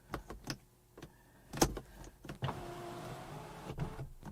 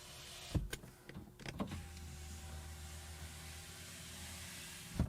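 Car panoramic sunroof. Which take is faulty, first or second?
first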